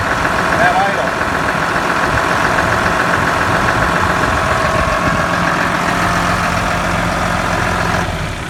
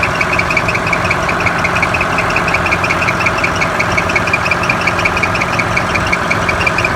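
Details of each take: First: Cat D5G dozer with a charging problem that caused limp mode, shutdown and low battery voltage, after tightening the alternator belt: steady, even diesel idle with smooth low drone and no belt squeal or chirp; charging fixed. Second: Cat D5G dozer diesel at idle, after a limp mode, a shutdown and a low battery: sharp high chirps about three a second. The alternator fan belts are very loose and slipping, with only 12.5 V output at high idle; fixed by tightening the belts.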